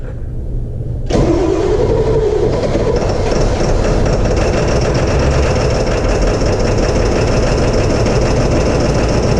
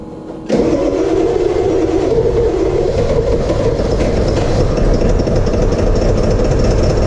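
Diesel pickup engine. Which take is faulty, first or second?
first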